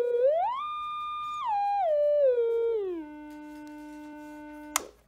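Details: DIY ICL8038 audio oscillator in Heathkit enclosure, ICL7660 charge pump supply: pure steady whistle stepping down through several pitches to a low note, no buzz or wobble; slight power-supply whine only in some ranges; grounding change seems to have fixed noise.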